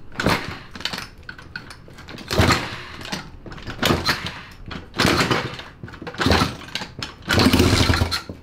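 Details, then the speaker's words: Red vintage Honda Z50R mini bike, no carburetor fitted, coil grounded, kicked over on a squirt of starting fluid/brake clean in the intake: uneven sputtering bursts that catch and fade; engine runs. "i have it grounded it's going to squirt a little bit of uh starting fluid brake clean in there and we're going to kick it over"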